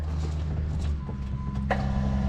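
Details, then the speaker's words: 2004 Cummins diesel with newly installed FASS lift pump, fuel lines not yet connected; steady low electric hum with pump drone cutting in, pump cycling fuel normally after earlier wrong relay wiring had kept the old pump from running. "yep sounds like she's cycling fuel through there now"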